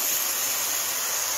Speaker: I purposely left this open right here, so you can see how the air comes out.